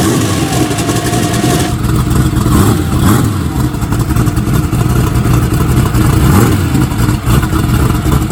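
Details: Newly built Dart-block turbo race engine for an S10, restarted after turning timing up a little: loud, deep, lumpy big-cam idle that stays even, firing cleanly with no misses or knocks.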